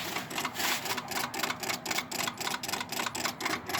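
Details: Suzuki GSX-R1000 K1 no-start: fuel pump runs and it briefly ran on starting fluid; with kill switch off, fast dry clicking about four per second with no firing, voltage fluctuating; cause not pinned down.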